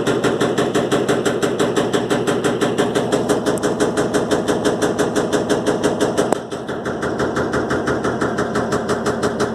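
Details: Electrolux LTE12 washing machine suspension test: sharp regular knocks about three per second, steady through the run, as the drum bangs during the spin. Drum knocking during spin.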